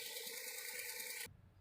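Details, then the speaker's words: Kent RO purifier auto-flush solenoid valve tested with a direct wire: touching the wire gives a buzzing rattle of just over a second with sparking, then a clean cut-off; the valve coil pulls in and works, so no supply reaches it from the circuit board. "ये देखिए दूसरे को टच करते ही ये देखिए इसमें आवाज़ आ रही है, और ये स्पार्किंग भी हो रही है। देखिए इसका मतलब ये सोलेनॉइड वाल्व ये ठीक"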